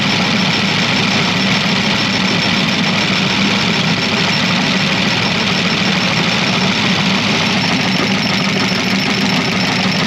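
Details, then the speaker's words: Chevy Camaro Z28 LT1 with missing flywheel teeth, expected to run like garbage once the coil is reconnected: loud, harsh running with a rattly, uneven clatter under a steady drone. Rough running and knocking, exact cause unclear. "It's gonna run like complete garbage if it does run."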